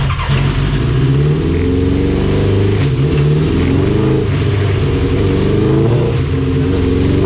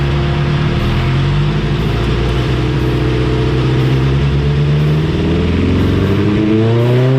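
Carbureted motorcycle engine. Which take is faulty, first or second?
first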